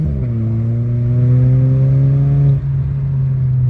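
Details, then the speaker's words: VW DSG7 DQ200 gearbox after new clutch and adaptation, test drive in manual mode, car with downpipe and no silencers: clean rising pull, brief dip and smooth pickup shifting up to 4th; normal gear shifting. "Oh man. Sounds good, sounds good, sounds good. Gear number 4. It went up to 4 there."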